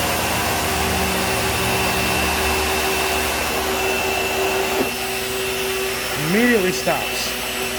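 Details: 2012 Bissell vacuum (model U5140900), needing a belt: steady motor whine with an uneven rattling hum from the brush roll. It works but is noisy and needs cleanup; noisy brush roll.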